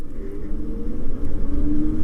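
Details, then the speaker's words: CyberX e-bike riding after a belt drive conversion replacing the chain: steady low rumble with faint motor hum, no chain whir or clatter; quiet healthy belt drive, chain noise had come from the front sprocket. "Holy crap, you can't even hear the drivetrain. All the chain noise was literally from the front sprocket, and this thing still is quick, but I can definitely tell it's not quite as twitchy at the bottom end."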